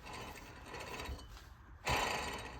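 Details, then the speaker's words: Hand-spun rear wheel hub from a 1996-2000 EK Honda Civic with drum brakes gives a dry, gritty rattling whir; no clunk or play, but bearing is wearing and will fail soon, so it is being replaced. "So this one, you could say it's good, but it's bad. Just by the sounds, you just hear the bearings are gonna go soon."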